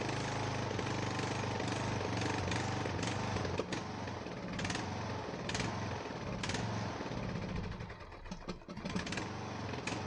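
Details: Ariens 42" geared riding mower, 17.5 hp Briggs & Stratton (31C707), Nikki carburetor, long neglected, first start indoors, throttle at rabbit, smoking heavily: lumpy chugging about 3.5 beats a second with misses and surges; rough running, owner suspects old gas.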